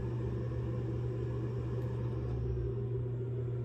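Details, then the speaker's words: Two-zone radiant concrete floor heating with Navien tankless water heater: circulator pump running after thermostat call, steady even low hum, no knocks, rattles or surges; the only sound the quiet system makes; normal. "But that's all you're gonna hear. So it's a very quiet heating system, and it's kind of fun just knowing that all your floors are warm."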